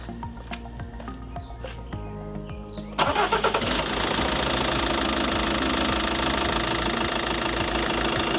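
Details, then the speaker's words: Iveco Daily campervan diesel started right after an oil change and not revved: a light fast tappety tapping at first that evens out into a smooth steady idle as the new oil works round; normal settling. "I just turn it over, let the oil work itself around, and you'll hear that. You'll hear it like be quite tappety, and then you'll hear the oil work round and it will sound quite smooth."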